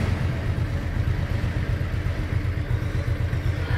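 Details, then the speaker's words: 2010 Ex 1 càng at idle, phone placed right against the engine: steady, strong low thumping with no knocks or rattles and no noise from the clutch housing; healthy normal idle. "nó anh em nghe cái máy nè, không giọng một miếng nào hết trên cái nồi nha anh em."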